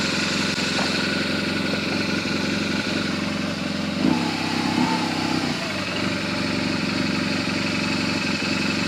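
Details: BMW R1200GS Hexhead boxer at 100,000 km service, after rocker arm end play check, spark plugs and coils refitted, warming up: steady, even idle with unchanging beat, no knocks or ticks; normal idle.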